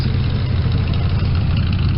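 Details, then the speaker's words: 1972 Chevy small-block V8 with dual mufflers, cold start: deep, even, mellow burble idling around 550 rpm with no misses or knocks; healthy. "this thing it smoothes out as you can hear see what she's running that 550 right now this has got dual thrush mufflers on it and it says straight pipes"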